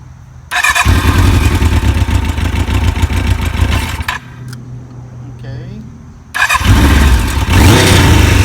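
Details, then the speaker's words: 1991 Kawasaki KZ1000 police bike, 52,000 miles, fitted with 1000 LTD carbs, fresh oil, filter and plugs: catches with an uneven, lumpy beat, cuts out, restarts just as ragged; runs rough, needs tuning. "it's running kind of rough you can go fine-tuning"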